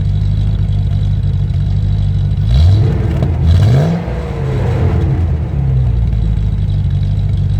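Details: Land Rover Discovery 1 3.9 V8, first start after about 18 months sitting: loud, low burble booming through two quick throttle blips and settling back to idle; loud because the centre silencer pipe is missing.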